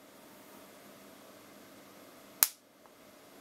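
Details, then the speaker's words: Bench demonstration of why electric cars such as the Model 3 use a precharge: an uncharged capacitor connected directly to a battery. A single sharp crack, the spark from very high inrush current; the fix is a series resistor to limit the current. "a faísca a partícula o que uma corrente bastante alta temos que evitar isso"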